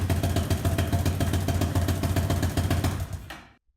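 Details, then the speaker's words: BSE J10 four-valve single-cylinder motorcycle after repairs, valves adjusted, carb still needing tweaks: even thump about four beats a second, steady and clean, then switched off; sounds healthy. "Perfect. Just music to my ears. Fire and glory."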